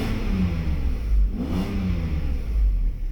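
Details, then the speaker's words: Mercedes V12 with E-gas throttle, throttle test: a quick blip from idle to about 3,700 rpm swells smoothly and returns without hesitation. Air pump has a noisy vane problem and a cracked crankcase ventilation pipe causes slight idle fluctuation. "So this is our idle speed, and here's our acceleration. As you can see, accelerates like a beast, the same way it's supposed to be."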